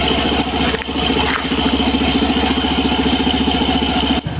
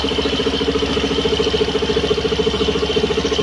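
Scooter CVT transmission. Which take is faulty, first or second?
first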